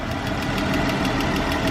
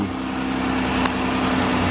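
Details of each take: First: 2013 Chrysler 300 3.6-litre engine at idle: sharp even ticking about six times a second, lifter-like, traced to a loose rocker arm. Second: 2013 Chrysler 300 3.6L V6 at idle after the ticking repair: a smooth, steady low hum with only a faint tick, much quieter than before; considered normal.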